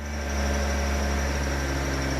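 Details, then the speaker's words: Honda Civic-based Bugatti Veyron kit car with five-speed manual, first start after connecting the battery: steady, even idle with smooth low hum, no misses, knocks or ticks; sounds pretty good, though raw fuel smell noted. "not too bad [Music] sounds good what [Music] it sounds pretty good huh"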